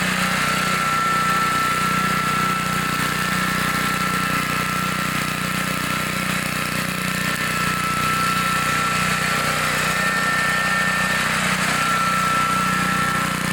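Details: 1960s Bolens 28-inch Lawn Keeper mower, carburetor not adjusted, untouched at least 15 years, mowing: steady, even drone at constant speed under load, no misses, knocks or hunting; sounds good, healthy normal running.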